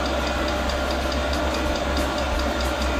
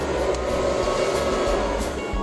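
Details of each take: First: Newly mounted portable all-in-one diesel air heater, first start at maximum power: steady fan rush with faint regular fuel pump ticking, but no burner roar. The first ignition fails; the glow plug relights, then a shutdown cycle runs with white smoke outside. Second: Newly mounted portable all-in-one diesel air heater on a 12 V supply, first power-up with a room temperature of 13 °C: the air fan comes up to a steady, even whir with a low hum while the glow plugs should be heating. The fuel pump is not yet audible; this is a normal start.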